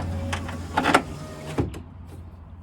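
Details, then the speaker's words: 2006 Nissan Frontier driver-door power window: faint motor hum, then brief rough grinding as the regulator cable rubs and tries to jump off its track. It hasn't jumped yet; the window motor is to be replaced. "can hear that cable is trying to jump back off the track again it ain't it ain't jumped off yet but i can hear it hear that paper rubbing"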